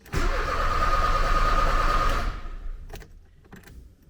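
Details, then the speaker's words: 1979 Porsche 924 after fuel accumulator replacement, fuel line repair, fuel distributor check and spark plug cleaning: steady cranking at about three turns a second, no firing. Cranks but no start; owner suspects the cold start valve. "i'll give it a crank you know what's the uh the craziness i'd say doing the same thing expecting a different result well see if i get a different result no different result so i think the cold start valve is what's happening here"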